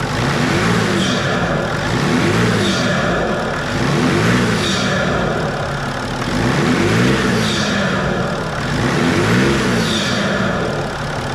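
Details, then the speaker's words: BMW 525d E39 M57 diesel after freeing the seized turbo geometry lever and adjusting its screw: repeated throttle blips with turbo whoosh rising cleanly each stab; boost builds strongly even at slight throttle; normal boost after repair. "Le turbo il charge. On entend il charge vraiment fort. Parce que j'ai réglé un petit peu la petite vis qu'il y a."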